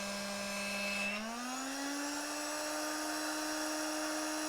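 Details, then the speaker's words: 12 V air pump on its supplied power adapter, outlet blocked: steady motor hum jumps higher in pitch and holds as supply voltage rises from about 47 V to 68 V, falling back when released. Motor overspeed from supply voltage rise. "the voltage go up to 68.1.2 now when i release this it goes back down why does it do that the answer is with how this power supply works"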